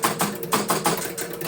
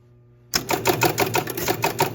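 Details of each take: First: 1974 Williams Triple Action pinball, replay reset after scrubbing: rapid run of sharp relay clicks, about six per second, then stops; ball count wrongly went to 10, erratic reset, cause still unknown (coin relay circuit suspected). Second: 1974 Williams Triple Action pinball, ball count relay reset on replay button while chasing erratic reset bug: quick even run of sharp relay clicks, about three per second for three seconds, stopping cleanly; this time the reset cycle worked properly.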